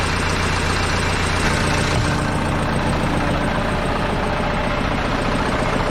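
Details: Case 188D diesel tractor just after a full engine rebuild and injection pump refit, throttle worked by hand, first fire-up warming toward temperature: steady, even diesel clatter at constant idle, no misses or surging; a possible fuel leak is suspected; normal idle.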